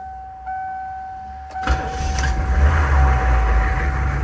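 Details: 2004 Hummer H1 6.5 turbo diesel that died and wouldn't restart, retried after about 15 minutes cooling: steady tone during glow-plug wait, short crank, diesel catches into a rough even idle, no codes; owner suspects failing PMD (fuel solenoid driver).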